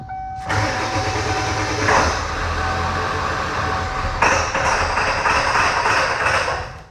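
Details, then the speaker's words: 7.3 Powerstroke OBS diesel, 150,000 miles: catches after cranking then runs rough and lumpy, busting up as if the IDM is killing a bank; misfire, shorted injector solenoid or harness suspected, not confirmed. "doing some old school diagnostics here fired up and it will literally bust up"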